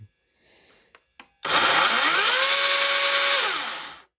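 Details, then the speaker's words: Greenworks 80V 16-inch brushless battery chainsaw, brief run without bar oil: motor whine climbs smoothly over about a second to a steady high run, then winds down evenly; normal soft-start ramp-up, not instant on. "Hear that difference in sound? So it ramps up."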